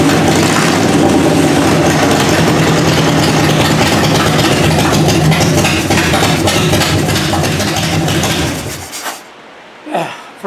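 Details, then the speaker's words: 1994 Harley-Davidson FLHTCU after carburetor rebuild, on choke in neutral, cold shop around 45–50°F, no mufflers so loud: lumpy but even open-pipe V-twin cold idle with a pop or two, then shut off; oil light out, charging; slight backfire blamed on cold; running normally. "but she runs man sounds good uh yeah no motors on it so it's a little loud"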